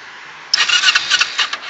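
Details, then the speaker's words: 2008 Kawasaki Ninja 250R with rev issues, idling 2-3,000 rpm or hanging at 5,000, exhaust smelling of raw fuel, owner suspects rich and needing rejet; uneven raspy cranking bursts for about a second, never catches: cranks but won't start. "oh na she doesn't want to turn on Okay so now I might have to do what I did last time which is pull the throttle all the way back oh boy she doesn't want to turn on now"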